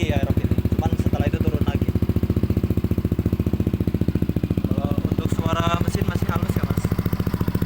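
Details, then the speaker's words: Used Yamaha Aerox scooter being checked before purchase, started and settling at idle: even low putter with a quick regular beat and no ticking or rattle; smooth engine, which suggests its oil changes were never overdue. "kawan-kawan, halus semua. Karena motor ini belum pernah ketelatan oli, jadinya suara mesinnya halus."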